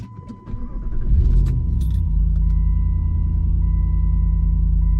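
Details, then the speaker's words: Jeep Commander XK first start after Superchips Flashpaq F5 performance tune upload (speedo adjusted for tire size, DTCs cleared): quick crank, steady even idle with no knocks, sounds no different; normal start and idle. "Start right up. Doesn't sound any different. Everything seems totally normal."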